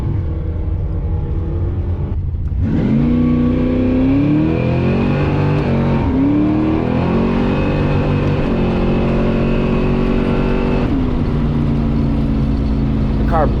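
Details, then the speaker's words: Drag-and-drive V8 switched from E85 to 91 gasoline to troubleshoot, launching hard off the foot brake: loud climbing revs with stumbles and dropouts; breaking up under load, ignition suspected. "pretty hard coming off the foot brake and I got out of bed and got back in it heard it break up now I'm figuring well maybe it's maybe there's something going on with the ignition system"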